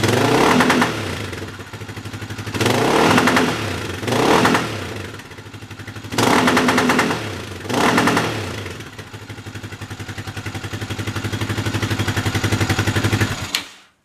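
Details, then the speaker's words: Yamaha 660 single-cylinder with new carburetor, old jets reinstalled, cold start: repeated blips with stumbling and popping on each, then a ragged steady run and shutoff; running better but still lean, owner suspects it is not jetted properly. "It's running a lot better, but let me show you something that's wrong. It's cold, so it's not going to start very well."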